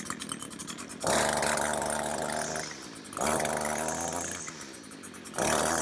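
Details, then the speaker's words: String trimmer two-stroke engine surges in bursts, then sags and fades between them instead of holding speed; engine bogging down, heard before disassembly for repair. "says you could probably hear it was bogging down a bit"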